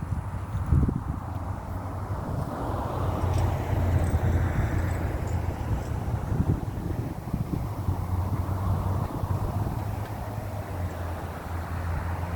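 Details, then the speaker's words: 1994 Chevrolet C3500 HD 6.5 turbo diesel, cold first start of the day: long rough cranking before it catches; owner suspects injection pump losing prime, code 36; new lift pump, filter, glow plugs and batteries fitted. "it seems like the fuel system the injection pump has no Prime and I have to crank it and crank it and crank it and crank it until it catches"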